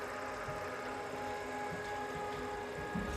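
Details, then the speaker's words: Glowforge Plus laser cutter, sold for parts after stopping mid-cut, first power-up: fine steady whir with uneven gurgling flutter underneath; coolant low and pump drawing air and cavitating, air bubbles slowly working out, fans running. "Certainly is low on fluid. You can kind of hear that pump cavitating a little bit on air, but does seem to be working in the air bubbles out of it slowly."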